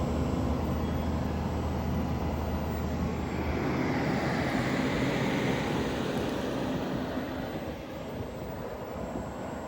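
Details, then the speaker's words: Turbro Greenland inverter rooftop RV air conditioner: steady low rumble with even fan rush that ramps down smoothly as the variable-speed fan and compressor slow, no harsh compressor kick; running normally. "that variable speed fan that variable speed compressor it's able to ramp down and it sounds so much better than that compressor kicking on it's just a much more pleasant sound to listen to in the RV"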